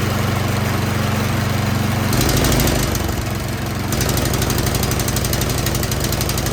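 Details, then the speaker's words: 24-inch Troy-Bilt snow blower after replacing a fouled spark plug, choke just turned off: steady putter swells in speed, sags and picks back up; surging from a dirty carburetor, suspected running rich, later cleaned. "all right it definitely will run but you see as soon as i turned off the choke it's just started surging so that tells me that something is going on in the carburetor"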